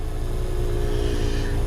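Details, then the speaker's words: Trane variable-speed heat pump outdoor unit, forced defrost test after limp-mode alert and a low-superheat fault: steady compressor drone with low rumble easing off normally as it enters defrost. "enter you can hear it slowing down so it's going to go into a defrost"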